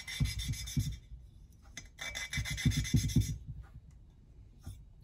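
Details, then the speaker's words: Valve lapping with paste, valve twisted back and forth with a suction tool: rough scraping rasp in short strokes, steady while the paste cuts and fading as it wears out, meaning paste needs renewing, not that lapping is done. "jusqu'à ce qu'on entend plus de bruit quand on entend plus de bruit ça veut pas dire c'est bon c'est fini c'est fait ça veut dire qu'il ya plus de patapon"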